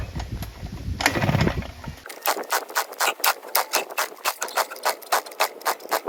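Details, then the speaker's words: Low compression, won't start: after an opening burst, light regular whooshes about four per second, never catches, following two-stroke oil in cylinder and a dried spark plug; piston and rings badly scored. "little bit just not enough compression that's it so yeah the Rings and the Piston is scored badly so unless the guy wants to fix it I don't even want to do the job"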